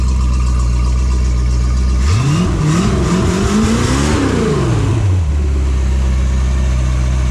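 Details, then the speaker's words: Phoenix 29 boat engine, first start after upgrade (raw water pump, manifolds, risers, thermostat housing, hoses replaced; electric fuel pump changed back to mechanical), cooling water on: steady idle, revs up and down smoothly without misses or knocks; healthy. "Итак, первый запуск после апгрейда."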